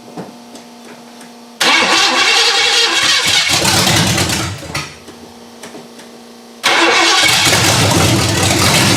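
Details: Ford Granada V8 after sitting, open headers, first start after repairs: it fires, sags and quits after a few seconds, then catches again, failing to hold steady idle on its own.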